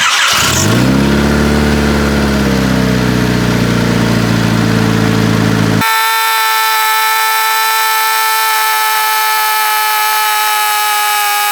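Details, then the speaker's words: Honda Civic EJ1, high idle rising after 50–60 miles of driving, before adjustment: fast, steady idle well above normal that creeps higher; over-tight throttle cable holding throttle partly open, fixed by adding slack. "Throttle cable is too tight on here. See? So, let me loosen that up and get it to proper tightness."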